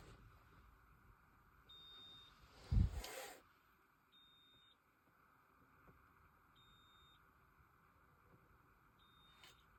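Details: Polestar 2 cabin: a short, high beep repeats roughly every two and a half seconds over a quiet interior; intermittent warning beep, cause unclear.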